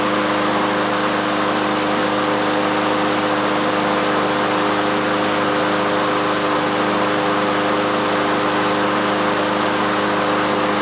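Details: Troy-Bilt TB360 mower, Briggs & Stratton Quantum engine, unused three years, after cleaning the main carburetor jet, air cleaner off to check automatic choke opening while warming: smooth, even idle, steady pitch, no misses, knocks or surging. Normal idle.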